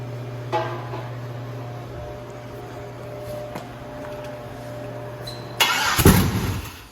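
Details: 150k-mile 6.0 LS V8, first start after finding a missing wire up top: catches and settles into a steady even idle hum with no misses, knocks or stumbling; normal idle.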